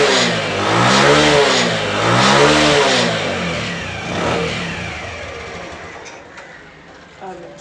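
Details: Single-cylinder motorcycle after carburetor cleaning with jammed main jet passages cleared, no leaks: revs rise and fall smoothly twice, then steady idle with no misfire or stumble; healthy.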